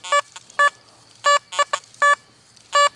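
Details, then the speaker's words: Metal detector in test bed, iron audio turned down from 10 to 3: short high chirps in uneven bursts over a quiet hum, detector still sounding on iron targets. "Now, I'm getting some iron sound in there, so let's turn iron audio down to 3. It was at 10. You can still hear that iron chirping, but look at that."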